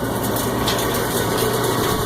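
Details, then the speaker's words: Cumberland 7.5 hp granulator, 12x12 cutting chamber, blades sharp, running empty: even quiet motor hum with light loose rattle of leftover scraps from the last grind in the chamber; normal no-load running. "Not drying anything, she's nice and quiet. Got a little stuff in there still rattling around from the last grind."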